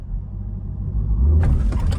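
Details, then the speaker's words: 2020 C8 Corvette at 8000 miles with code P0700 and "Idle Creep Temporarily Disabled", in reverse with foot off the brake at standstill: a low rumble, then a sudden hard clunk and rattle as reverse finally engages. Delayed harsh gear engagement. "Jesus, did you hear that? It just engaged, so something is definitely, oh, there we go. Idle creep, temporary disabled."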